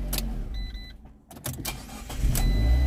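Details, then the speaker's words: Copart auction car that previously would not start, shifts through gears fine: short crank, then catches at once into a steady low idle; clean start, owner wonders if bad fuel was the cause. "let's see if it starts this time now it fires right up i wonder if it just had some bad stuff in the fuel system or"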